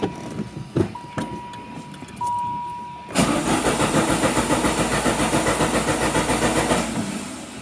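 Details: Car being prepped for trailering to Radwood, first start attempt after new spark plug wires: starter cranks about three and a half turns a second for roughly four seconds without catching; coil wire suspected not fully seated, second attempt started with no misfire.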